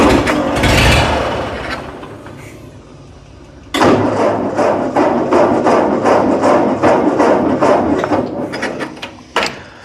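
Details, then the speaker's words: Ford 8N tractor, 6V, abandoned about 8 years, with a weak battery. Slow labored cranking gives a few scattered pops that die out. It is suspected to fire only on starting fluid with no fuel reaching it, so the carburetor is to be cleaned. "so I don't think it's getting fuel I'm pretty sure that's just starting fluid that it's firing on"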